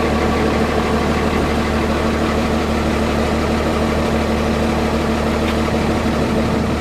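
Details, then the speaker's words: Cummins diesel truck (first-gen-style intake grid heater) cold-started with block heater plugged in and grid heaters unplugged, same temperature as prior test; settles straight into steady, even idle clatter, no stumbling, a little smoke; normal cold start. "There you go. That's how much difference a block heater makes. It has no grid heaters plugged in at all right now."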